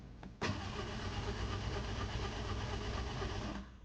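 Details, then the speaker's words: Toyota Ractis 2SZ-FE after home rebuild, fresh oil and antifreeze, spark plugs disconnected to build oil pressure: steady starter churn about three seconds with no firing, then stops; cranking without ignition. "I'm just gonna crank it without the spark plugs connected, just to build up some pressure, and then I'm gonna start it up."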